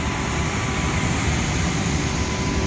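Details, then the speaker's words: Two-year-old 100-ton Trane IntelliPak rooftop unit, supply blower at 100 percent while reading only about 1 inch static against a 2-inch setpoint, economizing: constant heavy roar of rushing air with deep rumble; blower flat out from false low static reading. "I mean you can even hear it it's economizing this is uh just the blower man I mean it is roaring"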